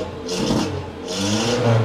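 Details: Datsun 120Y after draining old fuel and ultrasonic-cleaning the carburetor: two quick throttle blips, engine picks up cleanly and drops back smoothly, revving almost perfectly; still very hard to start, weak spark, ignition system suspected as main problem.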